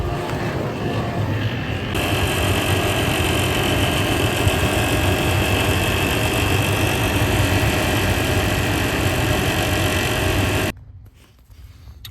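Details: 2015 Toyota 4Runner (5th gen), 117,000 miles: steady idle with a thin high squeal over the engine from a failing alternator overrunning decoupler pulley; replaced along with the serpentine belt.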